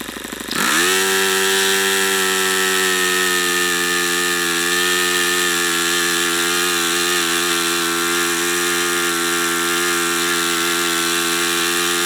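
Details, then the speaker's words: YS FZ63 model glow engine, first run of a swap meet find, 22% nitro 18% oil fuel, OS F plug, 12x6 or 11x8 prop: high-pitched steady scream with slight wavering, no knock heard; cause unknown, possibly overheating or not broken in. Uneven running. "see I don't understand that I don't understand if that's a overheating thing I didn't hear it Knocking or what that is maybe it's not broken in I have no idea"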